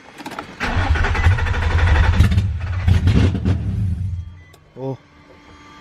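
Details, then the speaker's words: Four-door 350Z with newly installed engine, first start with the MAF plugged in: cranks, fires, runs unevenly about four seconds, then dies. A busted throttle body was found afterwards. Engine catches then stalls. "all right we got the math plugged in hopefully she starts now well she started but hopefully she stays starting"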